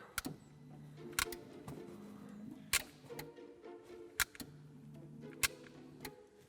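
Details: Windshield wipers tested after repairing circuit tracks on the UCH module: soft motor hum sweeping back and forth with a crisp tick at each end, about every second and a half; wipers running normally.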